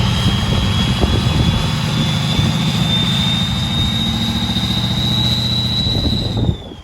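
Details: 6.0 Powerstroke King Ranch with new KC Stage 2 10-blade VGT turbo, idling through vane relearn: steady idle rumble with high thin whistle that holds then slowly eases in pitch; healthy turbo, normal.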